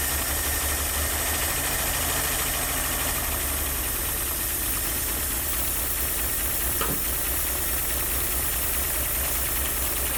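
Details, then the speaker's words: Ford Maverick not run in 26 years, first idle with no working fan or radiator, PB Blaster probably smoking off manifold: uneven lumpy idle, irregular chuff about two beats a second. "A little choochie, but that's okay. Hasn't ran in 26 years, let alone idled."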